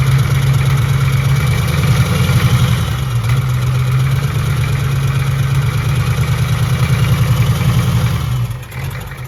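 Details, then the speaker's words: Built 1990 Ford F250 7.3 IDI turbo (R&D 90cc pump, stage one injectors) first start: loud lumpy diesel clatter surging unevenly at idle, smoking heavily; pump untimed, one glow plug possibly unhooked, needs to burn things out. "this hasn't been timed so it's smoking up a storm but it's also just going to have to burn a few things out"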